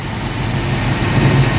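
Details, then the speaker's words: AMC AMX fired on a jump start, settling straight into a steady, deep, even idle with no misses or knocks. It is running properly, which confirms the week-old battery and the starter solenoid are fine. "so the fun part here is the battery is fine the starter solenoid is fine because clearly it started"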